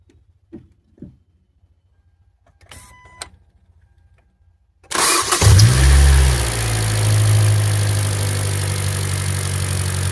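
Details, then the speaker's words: Hyundai Elantra GT 1.8, 330,000 km, just after new iridium spark plugs and ignition coils: quick crank, clean catch and brief flare, settling into a smooth, even idle with no stumble; normal start and idle. "I'm hoping it's not vibrating all over the place. It sounds very nice."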